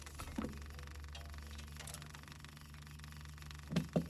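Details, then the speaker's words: Mahindra 1626 diesel tractor with a cold-morning no-start, key on during glow plug preheat: quiet hum, then a short sharp relay click as the glow plug light goes off; glow plug circuit switching normally. Loose bus bar nuts were found on this tractor. "now here when it clicks that means the glow plug light went off so that light's gonna go off"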